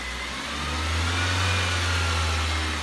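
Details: Fiat Freemont that had made noise under the engine above 2000 rpm, after a connecting-rod-bearing procedure, revved: steady deep drone rising gently as the throttle opens, even and free of knocks or rattles; the bottom end sounds sound.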